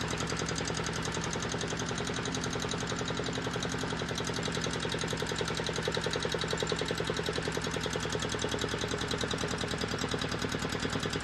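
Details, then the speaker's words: Volvo Penta 2002 marine diesel from a 1987 Liberty Yachts Pied Piper 28 sailboat, after repair and fuel bleeding: steady, even clatter at a constant fast idle; running properly, throttle and shutoff working, needs minor tweaking. "but the shut off is working so so everything is working now I just got to tweak it a little bit"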